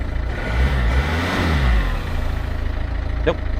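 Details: Low-mileage 2008 Peugeot 207 diesel, throttle blip at walk-round: clean diesel clatter swells up and back down with no miss or knock; normal diesel revving.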